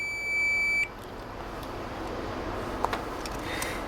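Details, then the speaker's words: Stock buzzer soldered on a new Chinese multimeter's board, on continuity: one thin high-pitched beep under a second, then room noise; very quiet and weak. "y también podemos escuchar el tipo de sonido que emite el que traen los multímetros bien quedito que se escucha"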